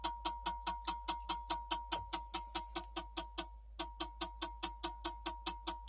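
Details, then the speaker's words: Dell Optiplex 3020 jerry-rigged with a 450W HP PSU for a Radeon HD 7790: at power-on, an orange light and sharp even clicks two to three a second over a faint steady tone. The supply clicks instead of starting. "alright so we have a orange light and a very obnoxious clicking sound"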